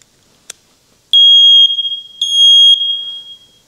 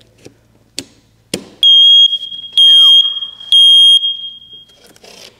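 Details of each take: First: First Alert smoke detector after reseating a loose internal contact that wasn't making good contact: a click, then two loud, piercing, high-pitched beeps about a second each; the alarm sounds normally again after repair. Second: First Alert smoke detector powered by a 9V battery giving a loud false alarm of repeating three-beep groups with no smoke present; a clicking is also heard inside, and the unit is to be blown out with an air compressor.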